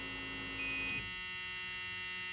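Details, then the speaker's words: 1985 Chevy C10 cammed small-block V8 with ACES EFI, ignition on and engine off: a steady high-pitched electronic buzz with a faint hum, the normal key-on buzz while connecting the handheld by USB to update. "Wait for this buzzing to go away. Man, this I hate that buzzing."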